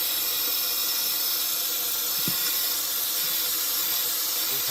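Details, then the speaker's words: 2006 Ford 6.0 Powerstroke crank-no-start, high-pressure oil system air-tested with valve covers off: constant sharp hiss of escaping air; leak traced to a standpipe O-ring split in half. "get that off we'll turn the air back on and we'll see exactly where it's leaking from"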